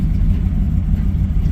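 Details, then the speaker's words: 2007 Dodge Ram 1500 HEMI idling with check engine light on, upstream oxygen sensors already replaced: deep uneven idle that lumps, stumbles and backfires; OBD2 reported oxygen sensor faults, downstream sensors to be replaced next. "you hear it so it's not it's not doing whoa even backfired you heard it you hear it so just sitting here idling it's not want to do very well"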